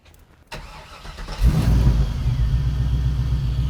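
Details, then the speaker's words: 1981 Chevrolet Camaro with a 6.0 L Gen 3 LS swap, long-tube headers, reportedly a 4L80 transmission. Cranks briefly, catches cleanly and settles into a deep, even V8 idle with no knocks or misses; the motor sounds great. "Looks good. Motor sounds great."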